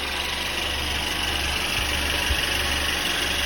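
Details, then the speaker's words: 2017 Mercedes-Benz E300 restarted after a fix for a squeaking fan-belt noise at start-up; smooth, even idle with a steady hum and no chirp or squeal; normal idle after repair. "Sound is gone. That's a regular Mercedes sound."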